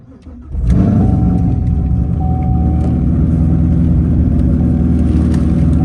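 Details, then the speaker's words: Corvette C7 LS7 after a new cam, replacing one damaged by cheap eBay lifters that failed: start-up with good oil pressure and no warning lights, settling into a steady unassisted idle with no ticking or knocking. "Get that oil pressure, baby. Idling on its own. I'm not pressing the gas yet."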